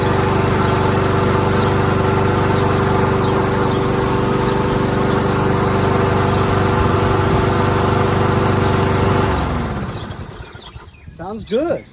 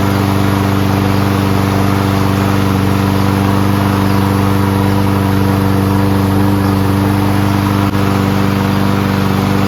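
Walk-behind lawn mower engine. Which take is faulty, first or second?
first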